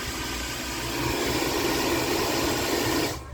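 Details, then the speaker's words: Philips Walita food processor after its gears were cleaned and re-greased to cure a loud noise. A brief squeal at start, then the motor spins with an even, steady hiss and hum, no grinding, and winds down cleanly; fixed and running smooth. "deu uma gritadazinha no início mas quando a graxa se espalhou né tomou conta direitinho acabou com a zoada feia né"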